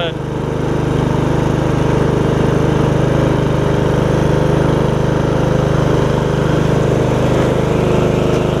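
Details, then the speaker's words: MTD Yard Machines riding mower after a transmission swap from a parts mower, backing up in reverse: steady, even engine hum with no grinding, clunking or slipping; reverse, belts, gears stopping and brakes all working normally. "reverse is working nicely it seems like the belts are doing okay also gears are stopping when they're supposed to brakes are working so that's good"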